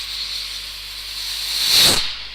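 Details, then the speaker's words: Car engine held at 2,500 rpm with pressure gauge on exhaust while tailpipe is blocked to simulate a blocked catalytic converter or muffler; strong hiss, revs die down, then loud whoosh on release: exhaust restriction. "I don't know if you can tell from where you are, but the engine performance is drastically affected. You can hear the revs die down because it just can't get rid of the exhaust system."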